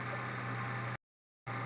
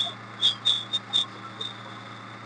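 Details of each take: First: Maruti Suzuki Omni MB-5 after fixing belt-like squeak heard at start: steady low idle hum with even note, no squeak or chirp even with clutch pedal pressed and released; normal idle. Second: Maruti Suzuki Omni idling after start, with a belt-like high thin squeal from the clutch area that is gone with the lever held pressed and returns or flares in chirps as it is released or moved; worn clutch release bearing.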